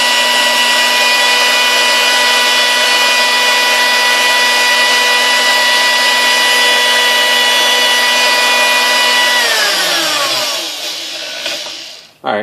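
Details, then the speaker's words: Sunbeam Mixmaster 1-7A, 235 W, after cleaning, lubrication and rebuilt speed resistor: smooth, steady motor hum with even whine across all speeds, winding down cleanly at switch-off; healthy running, no rubbing. "runs through all the gears fine and all that so all the speeds I shouldn't say it's not gears well because all speeds just fine"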